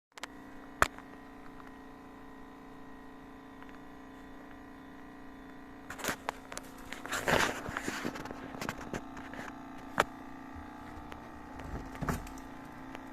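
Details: 2-year-old American Home personal refrigerator, noisy for days: steady low hum with faint buzzing, occasional knocks and rattles as the cabinet vibrates against the floor and amplifies the hum; owner's fix is wedging a slipper under it.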